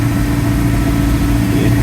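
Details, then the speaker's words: 2008 Suzuki Liana with replaced engine, before test drive, coolant stable, only slight steam, no smoke: steady, even low hum at idle with no knocks, ticks or misses; normal idle. "ये ठीक है engine. इसका पीछे smoke भी नहीं है। Sound भी ठीक है।"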